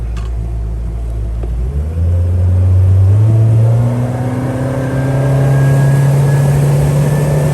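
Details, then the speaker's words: Honda BF75D/BF90D outboard on the lake after annual maintenance and earlier hose pop-off and water intrusion and spark plug issues; steady drone climbing smoothly at wide open throttle, running super smooth and healthy. "did a couple laps and everything is super smooth I'm like a bird uh let's give her a shot"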